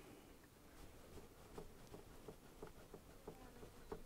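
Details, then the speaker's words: iOptron CEM120 mount declination axis rocked by hand before gear adjustment: light sharp clicks about three per second from excess gear backlash. "you can still hear that movement so what we're looking at doing is just getting rid of that"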